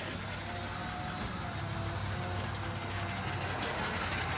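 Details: RV above-floor slide-out motor (worm gear and cog drive), replacement motor newly wired and tested via module and button, running counterclockwise in reverse: steady, even drone with faint slightly rising hum, no grinding or knocking; normal running.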